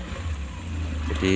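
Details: Suzuki Carry 1.0 after replacing the faulty distributor contact points (platina), which had caused hard starting and near-flat battery: starts immediately, runs steady and even, revs cleanly with no misfire or stumble; healthy.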